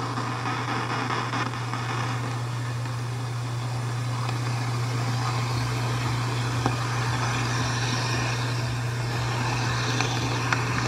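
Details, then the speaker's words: HVAC evaporator coil heard through an AccuTrak gooseneck ultrasonic leak detector: steady rushing hiss over a constant low hum, no rhythm; refrigerant escaping, at least four leaks found in the coil, which will lose charge quickly. "getting louder so it sounds to me like we've got at least four leaks costly in this coil it kind of gives you an idea that how this coil is not gonna last real long it's gonna lose the refrigerant really quickly"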